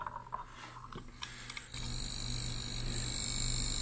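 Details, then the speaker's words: Arduino Nano driving an MG90S servo in a box, holding position near zero degrees with the switch off: a few light clicks, then a constant thin buzz and low hum as the servo chatters at standstill. "it makes a buzzing noise [Laughter] so i think that's going to intrigue people and they're going to go why is the box buzzing"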